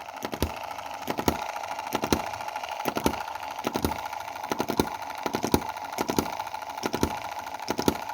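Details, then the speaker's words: M19/EM2 Chinese model hit-and-miss gasoline engine running very rich, before the valve timing fix: sharp pops in uneven clusters, with three expected firings dropping out; misfiring and low power. "it's not firing on one two three: one two three: one two three: there's three instances where it's not [fully] firing"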